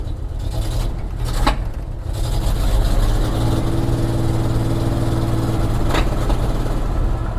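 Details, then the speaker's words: 1976 Jeep J10 truck, 401 engine, full-time 4WD, sitting 29 years, first time put in gear and rolling: rough, uneven running with two sharp pops a few seconds apart; engine backfiring. "That don't sound good. What is that? Oh, that's a backfire."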